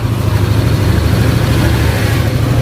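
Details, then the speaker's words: Yamaha Aerox 155 scooter after repair of ticking (ngeletek) noise at idle, camshaft bearings or rocker arm checked: smooth, even low rumble, no ticking or knocking; normal idle, though smoke suggests worn piston rings. "Nah ini untuk hasil dari akhir, suaranya enak banget bang, mau digeber mau posisi lamsam enak. Kalau tadi kan PPA nyala dia baru halus, kalau sekarang posisi begini aja halus bang."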